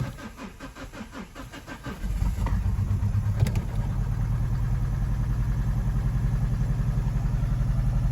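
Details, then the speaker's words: Mazda 6 diesel, no fault codes, restarted with EGR valves confirmed closed: cranks two seconds then catches into lumpy uneven idle with smoke; still rough running, not EGR or exhaust blockage. "Running. But very much still the same."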